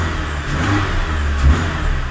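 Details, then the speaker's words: Engine cold-started after sitting a long time, no engine warning light: quick throttle blip rises and settles cleanly, no timing chain clatter or tapping, though slight hesitations noted; normal rev. "moi clairement on entend pas du tout de claquement au moins une bonne chose ici même s'il y a des petits trucs bizarres"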